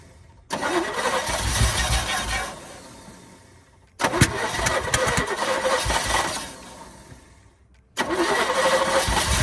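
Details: 1972 Chevy K10 4x4 short box, 350 V8, sat 20+ years, fuel bowls refilled: three attempts, each cranks, catches, runs rough a couple of seconds then dies; good oil pressure, owner suspects fuel delivery.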